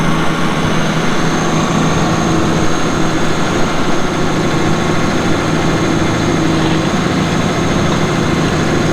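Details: 2006 Caterpillar D4G XL dozer, 87 hp pre-emissions diesel with pre-lube system, 13,067 hours: deep, steady diesel rumble with an even beat and no knocks or misses; idling cleanly and healthy, no oil or fuel leaks seen.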